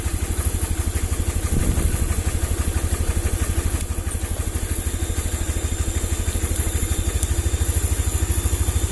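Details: First-model Vario 110 scooter that stalls and stutters when horn or turn signals are on; steady single-cylinder idle about three beats per second, even, no misfire; idle itself fine; regulator rectifier suspected faulty, new one fixes it.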